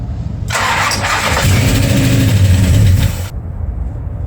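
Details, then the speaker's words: Plymouth Road Runner sitting a year after engine overhaul, rear-mounted battery with thin cables, fuel primed: starter cranks, engine fires in ragged uneven low thumps for about three seconds then dies; fails to keep running. "Ooh, that didn't sound good, but it sounded like she wanted to go."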